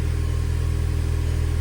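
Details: 2008 VW GTI manual 2.0T FSI, 82,000 miles, brief run after oil and filter change to circulate oil, no dash lights: smooth, constant deep idle hum, no tapping or lifter noise, no stumbles; healthy.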